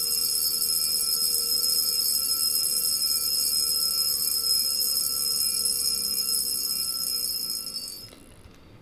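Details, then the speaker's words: Jaeger-LeCoultre Master Memovox International (World Time) rose gold alarm watch: bright, high, rapid buzzing ring holds evenly about eight seconds, long school-bell-like chime, then stops; normal alarm chime. "So it rings quite long. It's a fairly pleasant kind of chime."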